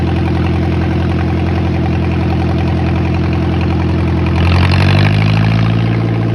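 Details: John Deere 1010 tractor first start after sitting many years, carburetor repaired and ignition points/coil tested: steady low chugging idle briefly picking up with throttle blip, even and clean, no knocks or misses; small power steering and radiator leaks only.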